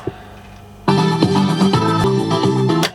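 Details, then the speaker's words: 1985 National RX-CW50 boombox cassette deck during service, heads dirty, one channel seemingly down: muffled, flat music playback with almost no treble; head azimuth misalignment suspected, and an azimuth adjustment hole is found. "think that channel's down as well, so it's rather flat. Hopefully it's not damaging the tape. Rather flat sounding."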